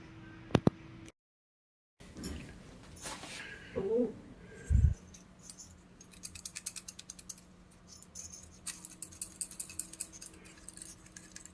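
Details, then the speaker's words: Ampeg SVT bass amp with a burned PCB: tilting the case brings irregular light rattles of a loose object sliding and tapping inside, where nothing should rattle. "that doesn't sound good it's not not supposed to be anything rattling inside there no bueno"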